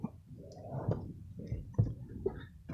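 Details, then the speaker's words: 1989 Toyota Corolla, about 70k miles, not started for four or five weeks: a few faint sharp clicks with no cranking; starter not turning, no start, connection fault at the starter suspected. "maybe that the connection error could be there could be on the starter"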